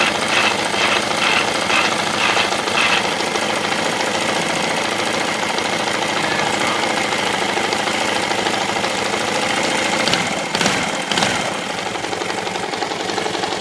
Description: Bad engine noise in my KTM 690 SM. Likely a bearing in the bottom end.